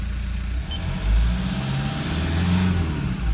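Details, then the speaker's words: 2012 Toyota Prado 150 diesel (1KD-FTV, about 150,000 km) stone-cold idle just after injector replacement; compensation codes entered, pilot learn not yet done. Quiet, smooth idle with none of the earlier cold rattle or knock from a faulty injector. "There's no rattly, knocky noise there like there was when it was cold before, right?"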